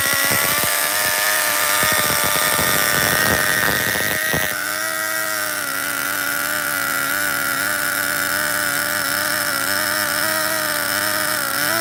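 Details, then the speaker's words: Schumacher XTR-3E nitro stadium truck with a vintage three-speed on first fire-up, a slight air leak suspected: a high engine scream under load steps down cleanly into third. The shift is normal and nothing is stripped before it runs out of fuel. "okay shut down we ran out of fuel guys it hit the three-speed I heard it you heard it"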